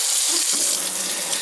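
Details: Kitchen faucet that had vibrated noisily, after the faulty sprayer was swapped for a same-colour spare: smooth, steady water hiss with no buzz or rattle; faucet runs quietly and normally.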